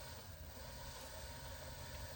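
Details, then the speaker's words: Aftermarket RC crawler gearbox at very low speed on cruise control: low, soft, even hum with no clicks, grinding or whine, quiet normal gearbox noise; at wide open throttle motor and gear whistle appear. "It's not loud, right? So this, actually we can get a little slower and then it'll just be gearbox noise. That's about gearbox noise, right?"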